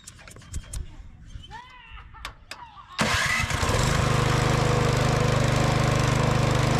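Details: Older curbside Craftsman MTD-built snow blower revived after needle straightening and fresh fuel: after a few handling clicks the engine catches at three seconds and settles into a steady, even fast putter; healthy running.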